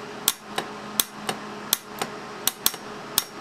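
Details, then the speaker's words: Small 24 VAC-rated solenoid valve on a test air cannon, powered at 24 V AC with no air pressure applied: crisp, clean clicks as the valve snaps open and closed; normal solenoid valve operation. "when i complete the circuit here you should be able to hear the solenoid clicking open and closed in the video there is no air pressure deployed right now this is just a valve test"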